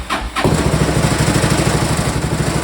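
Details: Small engine with a previously broken motor mount, after filling up with choke on: short pull, catches quickly and settles into a smooth, even chuffing idle; normal start.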